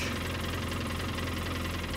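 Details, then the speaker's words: 2013 Polaris Ranger with low power and engine code 651: idles fine, then moving the broken injector wire makes the tone change to a rough, uneven stumbling beat as one cylinder cuts out; misfire from a broken injector electrical connection. "so right there it sounds pretty good running normally I don't have an engine code but if we move the injector wire you can hear that tone change"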